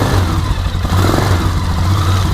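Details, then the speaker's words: 2003 Polaris Sportsman 400 ATV running during a charging test of the coil output, before fitting a new rectifier; the single-cylinder thump picks up smoothly as throttle opens with no clatter or misfire; normal revving. "That thing started right up."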